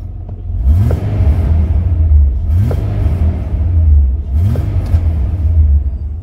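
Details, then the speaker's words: 2003 Mitsubishi NP Pajero 3.8L V6 automatic after replacing the faulty mass airflow sensor (code P0100), codes cleared: steady low idle rumble and three clean, smooth revs, RPM stable with no hesitation. "okay guys you can see now the RBM is all good sky is running fine no any hesitations it's very smooth now"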